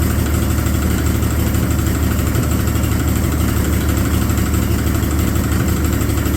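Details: Abandoned Chevy 216 inline-six from a 1950 Chevy 1-ton truck, run on used filtered oil through a couple of heat cycles: rough, chuffing low idle with uneven beats and a dull knock underneath. A miss plus a possible bottom-end knock.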